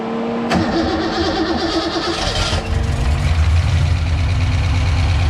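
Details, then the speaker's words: Bone-stock 60,000-mile Ford 302 V8 from a Fox-body Mustang, rebuilt with new bearings and rings for turbo boost, oil pressure primed to 60, first fire-up: catches almost at once into a deep rumbling idle with light ticking expected, some smoke. "Look at that. Now you're gonna hear some ticks and you're gonna see some smoke for a minute."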